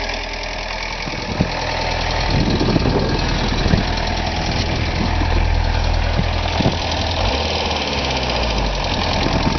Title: '85 VW Jetta Diesel ticking noise